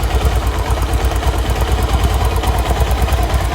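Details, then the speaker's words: Pulsar 150cc single-cylinder at idle, bike left standing for days: light metallic "kin kin" tick on each beat, about three a second; tappet screws already renewed and adjusted three times without change, source not yet found, cover to be opened. "Start कर भैया इसमें एक किन किन आवाज आ रही है किन किन किन ठीक"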